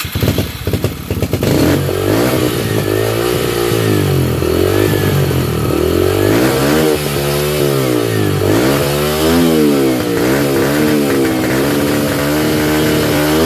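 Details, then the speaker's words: 2005 Yamaha 125cc single-cylinder two-stroke dirt bike, previously dead, after carburetor reinstalled and fuel injector cleaner added, jump-started off a 12 V battery: catches and settles into a steady even idle with light throttle blips; runs great. "idle. So it runs great."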